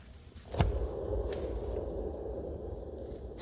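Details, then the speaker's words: 1986 homemade utility trailer axle after greasing: a soft click, then a smooth, even whoosh of a hand-spun wheel with no grinding, the good side for comparison. "when you go to this side this is technically what it's supposed to sound like"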